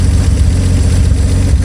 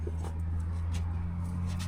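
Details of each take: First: Old car engine, fuel pump turned off, running out float bowl gas: deep even rumble, steady beat, generator turning, no knocks or misses; normal idle. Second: 1938 Chrysler Imperial; owner suspects too much fuel. Starter churns steadily for a couple of seconds, goes quiet, then the engine suddenly catches and roars, running well afterward: long cranking, hard start.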